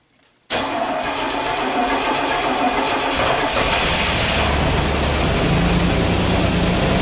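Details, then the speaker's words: Fuel-injected 1986 Pontiac Firebird, cold start without touching the gas: steady starter churn for about three seconds before it catches and idles. It is slow to fire only when cold; owner thinks it needs injector cleaning, cause unconfirmed. "It takes a while to fire up though, just when it's cold."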